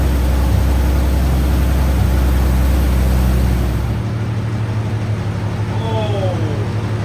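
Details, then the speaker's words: 2014 Audi S5, 82,000 miles, first start after complete mechanical overhaul of a blown engine: deep, loud start settling to a quieter, even idle with no knocks or misses; runs very smoothly. "it's smooth. It's so smooth. Yes."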